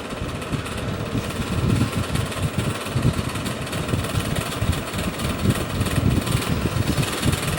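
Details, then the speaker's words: Bersted oscillating electric fan running without oscillation: rough, rumbling, engine-like chatter instead of a smooth hum from bearings never cleaned or lubricated, since the stuck flathead set screw keeps the blade from coming off. "that's the sound of bearings that haven't been cleaned and lubricated in forever"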